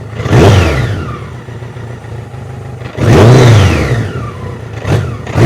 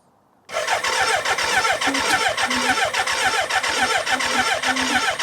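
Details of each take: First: BMW K100 cafe racer project, long unused, restarted after a fuel tank overhaul with the choke off: four sharp revs, each trailed by a loose metallic clatter. The owner wonders if the oil level is low; cause unclear. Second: BMW K100 after fuel tank overhaul with new internals, refilled tank, reinstalled battery, clutch pulled, first start attempt outdoors: starter turns the engine in steady pulses under a faint electric hum from the fuel pump; healthy cranking with fuel delivered.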